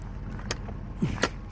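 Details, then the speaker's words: Truck on a forest road after a roadside repair of about half an hour (a part found and plugged back in): low steady exhaust rumble with no popping or blowing leak, just a couple of light clicks. Exhaust now sounds much nicer and healthy. "You can hear the exhaust sounds much nicer now."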